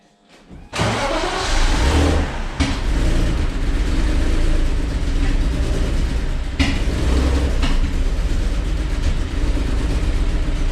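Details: Cheap BMW E39 inline-six after a bang: cranks and catches, then uneven lumpy run with irregular stumble; misfiring, not running on all six cylinders, cause unknown.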